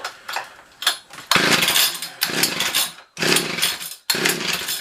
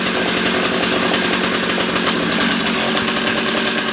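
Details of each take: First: Old two-stroke ice auger: buzzes in short bursts about a second each, then sags and nearly dies between them; engine keeps stalling, adjustment next. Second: Old two-stroke ice auger after a carburetor low-jet adjustment that cured it dying out: loud, buzzy note holding steady at high revs without surging or cutting out; running properly.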